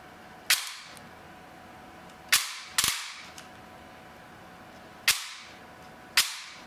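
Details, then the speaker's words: T238 brushless motor with a new piston fitted, running after a motor swap: five sharp single snaps about a second apart, only piston slap heard, no gear noise or motor whine; grip only mildly warm. "like i can barely barely hear anything but the piston slapping like i don't hear any gear noise or anything no wine from the motor nothing just the slap of the piston"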